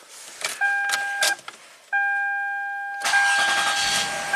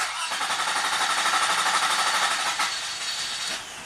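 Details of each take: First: 2003 Toyota Camry V6 with a complaint of long cranking after about an hour's hot soak (vapor lock suspected); door chime, then a short crank on a warm restart that catches at once and runs smoothly. Normal warm restart. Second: 2003 Toyota Camry V6, hot engine after about an hour's hot soak, temperature gauge at first or second mark: cranks steadily about three turns a second for about five seconds before catching; leaking fuel injector bleeding off rail pressure.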